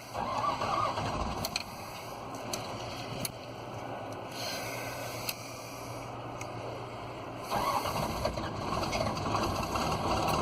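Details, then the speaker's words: Magnet excavator started to diagnose a non-working lifting magnet: engine runs with a thin steady high squeal from the generator area, fading somewhat once throttled down; squeak, cause unknown. "so the generator's Turning but it sounds like something squeaking back there a little bit"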